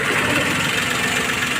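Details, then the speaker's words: Maruti Suzuki Alto 800 three-cylinder after repairing a cylinder misfire: smooth, even idle hum with no missing beat or stumble; all three cylinders now firing, where one previously was not; normal idle. "देख रहे हैं ना तीनों cylinder बढ़िया काम कर रहा है पहले ये वाला काम नहीं कर रहा था"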